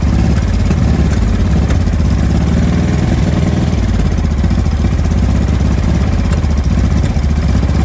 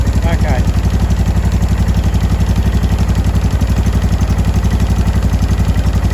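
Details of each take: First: 2005 Honda Deauville NT650V twin just restarted after carburettor refit (vacuum pistons repositioned), cold on full choke: a deep, rough run with scattered exhaust pops and bangs. No air leak, it is just cold. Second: 2005 Honda Deauville NT650V twin after carburettor refit (vacuum pistons repositioned), warmed about three to four minutes, choke off, idle set low: an even low thump with no popping or backfire. Normal warm idle.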